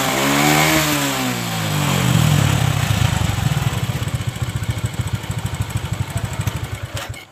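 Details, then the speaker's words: Honda Supra 125 single-cylinder motorcycle after carburetor repair; flooding was fixed by shimming the float needle and the air screw was set. It revs cleanly, falls back smoothly and settles into an even idle with no stumble; the earlier fuel-starved sputter is cured. "Di sini penyakitnya sepeda motor ini sudah sembuh karena tadi melepek-melepek ya akibat kekurangan bahan bakar."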